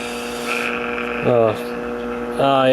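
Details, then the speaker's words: 1951 Stromberg Carlson C1 tube clock radio: steady low buzzing hum with warbling swells when tube disturbed; likely a microphonic heater-to-cathode short in the 12BA6 IF tube, to be replaced. "yeah let's uh let's replace that to you I believe we've got a heater to cathode short on that to you"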